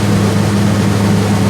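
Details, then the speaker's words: Rebuilt Jeep 4.0 engine, first start-up at about 1800–2200 rpm: smooth constant hum with no ticks or knocks, and good oil pressure; running clean and even. "oil pressure is good i like where it's at"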